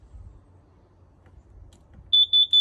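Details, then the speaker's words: Camper carbon monoxide detector beeping for a low battery, with the camper on 110 V shore power; pressing and holding its button gives a piercing high beep in rapid pulses as it resets. "And that is how you shut off that stupid beeping freaking noise from the carbon monoxide detector going off when the battery is"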